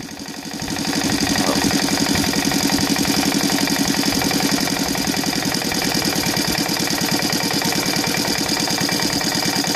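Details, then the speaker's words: Saito FA-125 glow engine on CH Ignitions CDI conversion, timing 30° BTDC, Evo 15x6 prop, 15% nitro, after timing adjustments: slow even putter at idle around 1,100–1,200 rpm with prop whirr; smooth, steady, normal idle. "right now i think it's somewhere around 1100."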